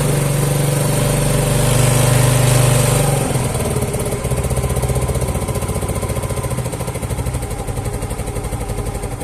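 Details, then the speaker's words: Yamaha Mio scooter single-cylinder engine revving then idling steadily and evenly, normal again after fixing hard starting that needed full throttle; cause was valve clearance adjustment and leaking valve, not carburetor or spark plug; valve cover O-ring replaced. "ini sudah normal kembali"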